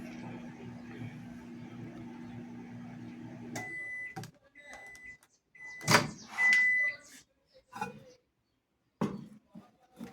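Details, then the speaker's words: Microwave oven after repair of a shock/arcing noise (grease-soiled mica plate), tested heating cold tap water for 30 seconds; steady low hum, then the door opens and end beeps sound; water hot, working normally. "tá bem quente Então tá funcionando aí perfeitamente normalmente só entregar pro cliente e tá tudo certo"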